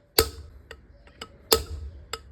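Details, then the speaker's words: Pomona deep well vertical turbine pump head repair: a heavy-duty replacement bearing is hammered in on the inner race. Sharp, bright metallic taps come about one every half second, and the tone changes and firms up as the bearing fully seats. "So now you can hear that the sound has changed, which means that it's fully seated."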